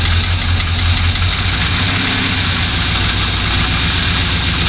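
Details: 2002 Pontiac Trans Am LS1 V8 just after an engine rebuild, loud idle with a fast, regular tapping knock riding on top at a steady speed; source of the knock unknown.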